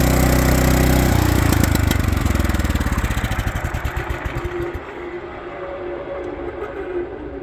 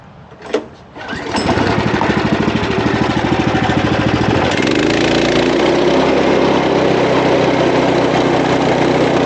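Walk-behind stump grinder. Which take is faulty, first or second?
second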